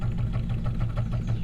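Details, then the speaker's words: 1947 Cadillac Series 62 with 350 CI flathead V8 cold start after repair work, microphone turned toward the exhaust: even, steady exhaust pulses with no skips; a healthy idle. "i just figured you guys might like a little you know cold start after all that work we did and uh she sounds good buddy"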